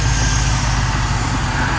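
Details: GMC/Chevrolet/Cadillac second generation started by bypassing the starter relay with a paperclip across diagonal holes: steady low rumble, even idle, no stumble or misfire under outdoor noise; engine running normally.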